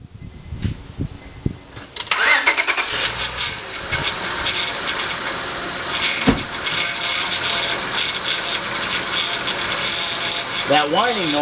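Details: Honda, roughly 2002-on, engine cranks and idles: whining tone sweeping up and down, from the power steering pump drawing air through a failed O-ring on the inlet hose; fixed by replacing the O-ring rather than the pump.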